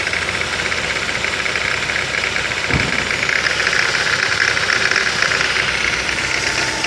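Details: 2008 Ford Focus 2.0 16V Duratec automatic at idle, shifted from P into gear: loud idle with an irregular knock about twice a second under load. The cause is unknown; the timing chain or something external is suspected.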